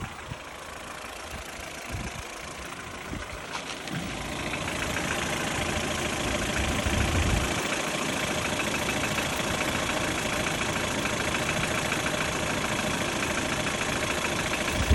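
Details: Ford Fiesta mk6 with Duratec 1.6 (Sigma) engine at 443,242 km: steady idle with light regular tapping about three a second; suspected bottom-end knock or piston slap, not confirmed.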